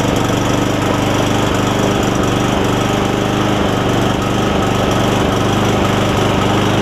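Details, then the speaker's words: Cub Cadet SR621 push mower with a Kawasaki engine, after a replacement carburetor with built-in primer bulb was fitted: a steady, even single-cylinder putter at fast running speed with no misses or knocks. It runs pretty good after sitting unused a while. "Seems like it runs pretty good."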